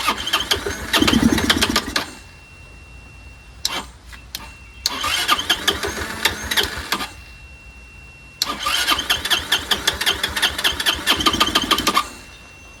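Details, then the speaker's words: Curb-found Chinese 150cc Moto Cooper Revo/CF Moto scooter, ignition hot-wired, primed by hand: short bursts of firing catch a couple of seconds then die each time; won't keep running unless fed fuel, owner suspects fuel delivery problem. "still don't think it's getting gas that's what I think what the hell do I know it seems to fire up only when you feed it so it has a fuel delivery problem"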